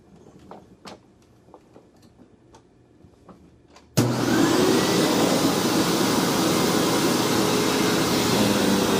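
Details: Hoover WindTunnel vacuum test run after rebuild: light clicks, then a sharp loud whir holding steady and even; motor healthy, this model's motor is known to be loud.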